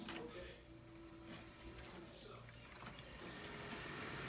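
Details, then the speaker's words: HO scale Athearn P42 locomotive chassis adapted to an Island Modelworks Broad Street subway car, running on track with shell fitted; quiet soft whir with faint steady hum, no grinding or clatter, normal running. "this is how it runs so you can you know see does it obviously there's an obvious difference in quality"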